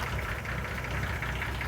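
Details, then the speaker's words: 1966 Ford F100 at a steady idle: a rapid, even knock rides over the low rumble. The engine knocks, but the source is not yet pinned down. "You know, I hear that. You hear that knocking? So, I'm not exactly sure what it is, but oh boy."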